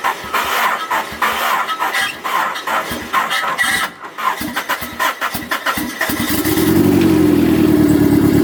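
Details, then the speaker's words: Car test-started after a fuel pump replacement, pump primed first: rhythmic cranking at about three turns a second, then it catches cleanly and idles steadily and evenly, no leaks seen; healthy start. "though running we did it I don't see any leaks back"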